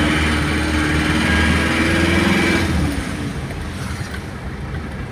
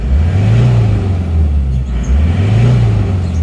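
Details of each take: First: Isuzu Panther diesel just bought from a showroom, metallic knock when revved above 2000 rpm or from idle, persisting after valve adjustment; revs rise and fall with a metallic knock near four per second, piston-to-head contact knock. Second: Isuzu Panther diesel bought from a showroom, which had a valve-like 'nrek' noise above 2000 rpm that a valve adjustment didn't cure; after the workshop repair it revs from the cabin with a deep, smooth drone, no rattle and no exhaust smoke. Normal rev.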